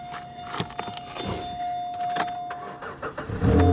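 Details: Salvage car with corroded side-post battery terminals adjusted for ground: quiet scraping at first, then the engine catches in the last half-second with a firm low rumble; starts normally now.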